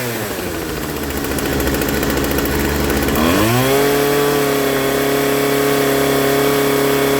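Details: 25cc Poulan Pro string trimmer after a new carburetor kit and fuel line; engine dips then settles into a fast, steady buzz well above normal idle, head spinning; idle screw set too high, to be turned down.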